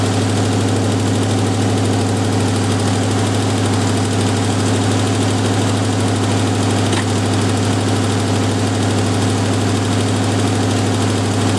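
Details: Jeep M715 army truck, fuel injection removed and converted to carburetor, old cold start; steady, loping low idle holding an even rhythm without misses or clatter; normal idle on the carburetor.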